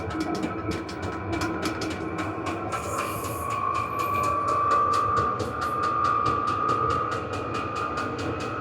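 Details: Vevor 8 kW 12 V diesel parking heater run at maximum output, about 71–72 dB. Steady sharp ticking of about four per second from the fuel pump over a rising, even blower whine; normal running at full power.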